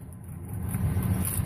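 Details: 2007 Ford F150 that cranked but wouldn't start, idling after the broken fuel pump driver module was reconnected, while it is duct-taped: low, even rumble with no stumbling or knocking. Normal idle after repair.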